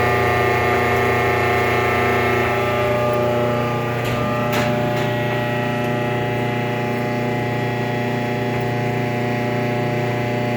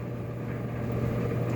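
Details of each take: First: Kenmore 417.83042300 electric dryer, about 15 years old: loud steady squeal and low rumble for the first 30 seconds after start-up, despite new motor, belt, tension pulley, rear drum bearing and felt; afterwards runs quietly; source unknown. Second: About 15-year-old Kenmore 417.83042300 electric dryer with new motor, rear bearing, belt, tension pulley and drum felt, running normally past its 30-60 second startup noise: steady low hum and soft tumbling rumble, no scraping or squeal.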